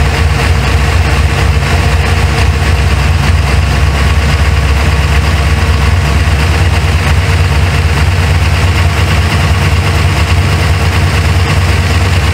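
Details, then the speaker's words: 1977 Corvette C3 L82 with 383 stroker and 5-speed Tremec, after setting ignition timing with a timing light (timing had been way too high); deep steady V8 idle with even lope, no misses or knocks, sounds much better. "okay about right there time way too high I'm sure famar with the VIS G but I think I got it sounds a lot better too"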